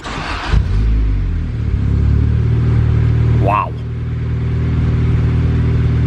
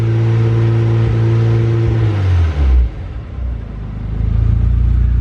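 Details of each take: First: Honda Civic with eBay turbo kit, newly welded O2 sensor bung, wideband, and a freshly burned base map: it catches after a brief crank and settles into a steady, even idle. It starts normally, like factory. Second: Turbo Honda Civic with new MAP sensor and injectors on an unknown tune, wideband reading 9.2-9.7 AFR: revs unevenly with sputtering, spitting and popping from a very rich mixture; okay at higher RPM, cleaning up after revving.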